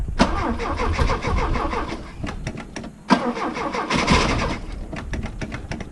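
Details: Opel GT 1.9L freshly rebuilt engine, ran fine on test stand months ago; cam/ignition timing, distributor, carb, valve lash, points checked, compression about 140; repeated cranking with coughs, pops, backfire, won't catch; cause unknown.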